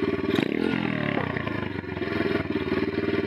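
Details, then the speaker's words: Bike after carburettor tuning with slide adjustment: quick blip rises and drops straight back to a low steady idle without hanging or stumbling; clean throttle response. "Elle réagit nickel. Quand j'accélère, elle répond directement, et quand je relâche les gaz, elle revient directement au point à son régime le plus bas, mais direct sans descendre ni rester dans les régimes."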